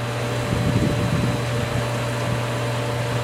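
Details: Pool pump with a cracked housing (not leaking): a steady motor hum over rushing water with a faint irregular crackle like small bubbles. A little air is being drawn on the suction side; a JB Water Weld plug is planned.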